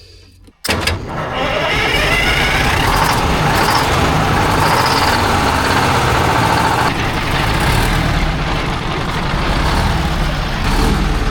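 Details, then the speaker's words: 1972 Diamond REO C116, 8V71 two-stroke diesel sitting about 20 years, straight pipes: loud rough bark catches at once, then idle swells and sags unevenly. Surging idle. "Can't beat that surging idle."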